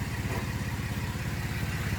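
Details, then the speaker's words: 2011 car with an LFX engine swapped in place of an LLT, idling: rapid even puffing pulses over a low drone; exhaust manifold pipes not connected, exhaust leak. "You know that the the manifold pipes are not connected."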